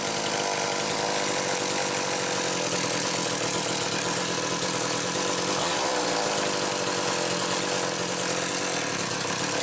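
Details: McCulloch Power Mac 320 chainsaw with original auto-sharp (grinding-stone) system, proper test run: clean, even high-pitched two-stroke scream holding steady revs without stumbling or surging; normal running.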